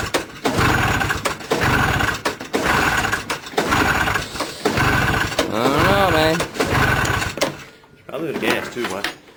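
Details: 340 Enticer snowmobile, sitting on the ground with no slide rails, on a 34° August 2009 day: repeated rope pulls about once a second turn the engine over but it never catches; no-start, owner suspects probably gas.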